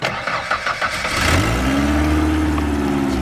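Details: Junk purple Ford Ranger, rebuilt transmission, oil leak, old battery charged about 20 minutes with a vintage charger: a few slow cranking pulses, then it catches and settles into a steady, even idle; normal start.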